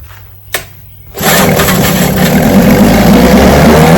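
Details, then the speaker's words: Vintage two-stroke outboard, restored then repaired, 5-minute run: catches and settles into a steady, even buzz with no misses, ran good. "5 minutes are up. It ran good."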